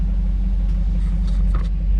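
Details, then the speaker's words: 1998 Chevy Silverado K1500 after fuel pump replacement: deep, steady engine rumble with no high-pitched whine from the tank; fuel pump now quiet, truck runs very well. Normal running. "Sounds fantastic now. No whine, no nothing. Woo!"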